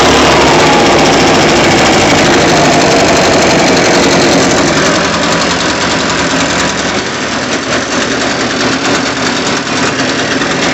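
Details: Echo PB580-T backpack blower, two-stroke, after throttle swap from another Echo model, different carburetor and new spark plug, air filter off, warming up after start: strong steady drone at even speed, no misses, surging or knocking; running properly.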